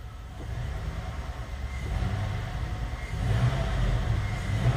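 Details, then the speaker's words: GM 5.3L LS V8 swap, free-revving in the garage with the passenger front O2 sensor unplugged: uneven lumpy beat from a dead-cylinder misfire. "it's still got a little bit of a mess and a shake to it but actually seems to pull quite a bit cleaner just free wrapping go ahead and put it in gear still got a mess pretty terrible miss actually"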